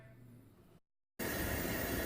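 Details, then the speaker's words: Coleman camping stove, tank pumped at least 40 times, first burner lit; quiet then a steady even hissing roar with no sputter or surging, exactly the sound wanted, burner running cleanly. "Ça, c'est exactement ce que tu veux entendre comme son. Ça, c'est parfait."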